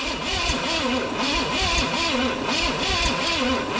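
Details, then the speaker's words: 1969 Pontiac GTO, apparently a 350 engine, sitting in a barn over 35 years, possibly gummed-up carburetor: steady rhythmic cranking with rising and falling starter note and a few weak catches, never runs; suspected very low compression, not confirmed. "Come on. I hear it. I think it liked that. It's definitely hitting harder. Now, it's just, I don't know, the utter lack of compression."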